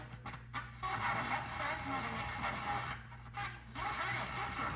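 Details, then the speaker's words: Philco 47-1227 AM/FM radio; AM fine but FM badly distorted after touching and cleaning a tube socket and turning alignment adjusters; harsh, smeared audio with hiss and fluttering dropouts even on a strong station; owner suspects alignment or tube. "And I'm not getting what I'm supposed to be getting. I mean, it's bad. There's one strong channel here, maybe it'll, no, it's really bad."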